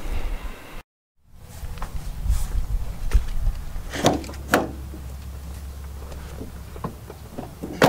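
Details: 2018 Nissan Armada after replacement short block, about 3,000 miles on it, previously knocking like a diesel: door clunks, then engine starts and settles to an even low idle with no knock; healthy.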